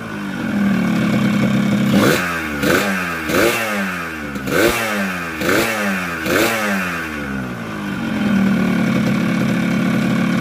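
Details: Yamaha RX King two-stroke with a Yamaha 125Z head, after an engine rebuild (new conrod and block) to cure rough running: idles steadily, picks up cleanly through quick blips and settles smoothly. Healthy.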